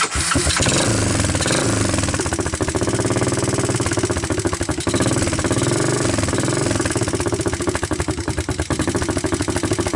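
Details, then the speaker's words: 1988 Honda TRX200SX ATV, abandoned for years, cold first start after fitting a new PZ27 carburettor (about 100 dry compression): catches and settles into a steady putt-putt idle, raised slightly, with clear valve ticking near the camera and no misses. "here let me pick up the idle a little more I wanted to bring the camera a little closer so that you guys can hear the valves and all"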